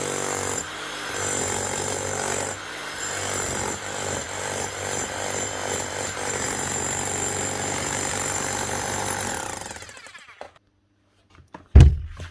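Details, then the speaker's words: Bosch GSH 5 CE demolition hammer after a full warranty service and rebuild with a new motor: fast, even hammer blows hold a steady beat for about ten seconds, then stop cleanly, running like a new hammer. "Nice one running like a new hammer."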